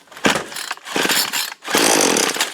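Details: 2-cycle trimmer just after replacing hard, brittle broken fuel line with yellow synthetic line, started on choke after priming: fires and revs in three quick clean bursts with no sputter; running normally.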